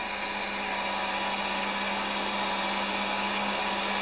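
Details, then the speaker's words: Fiat Multipla 600, after a water leak fix it wouldn't stay running; compression and timing checked, it turned out to be out of fuel despite the gauge reading a quarter tank; now a steady, even high-revving buzz, running strong. "Shut it off. It was out of gas. It wouldn't get gas. I helped it with that, and it finally took off."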